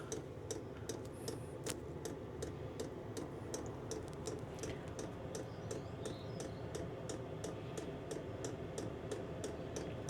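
Crisp light ticks, roughly two and a half a second, over a low steady burner rumble; normal dosing pump ticking during warm-up.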